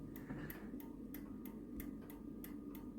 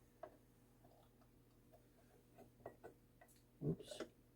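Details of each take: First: 85-year-old 1939 novelty ball clock after pivot repair, on bench with background noise: crisp, even ticks about three per second, steady and unbroken; running normally but slow, pendulum bob to be raised. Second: 85-year-old 1939 World's Fair novelty ball clock: faint, irregular ticks and a few louder clacks, then the beat dies away to silence. The clock stops ticking, attributed to a dirty movement.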